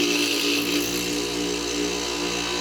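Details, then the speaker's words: Old Fedders Airtemp 5100 BTU air conditioner, Rotorex compressor running alone with fan jammed: steady loud hum with buzzing rattle, vibrating hard; owner suspects it lacks its proper rubber mounts, thinks compressor itself is okay. "i really think if it was on rubber mounts like it's supposed to be [Laughter] i don't think it's in that bad of shape"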